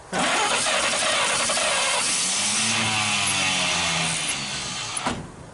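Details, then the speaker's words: 1939 Chevrolet Master, stored 48 years, cranks steadily for several seconds with no firing, then cuts out. The choke was found closed, which they suspect may be part of the problem by starving the engine of air; this is unconfirmed. "Is the choke open or closed? It's closed. Oh, that might be part of the problem. I don't know if we get enough air in it."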